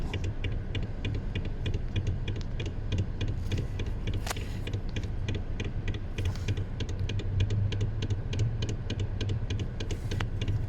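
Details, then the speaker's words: 2021 Mazda CX-30: knocking/clicking in steering when rocking wheel left and right, irregular clicks over low engine hum; also steering shake and rattle over bumps; TSB suggests likely steering fault. "So, it clicks at times turning left and right. It also vibrates and rattles as you're going over bumps. So, there's an issue with the uh steering in this vehicle."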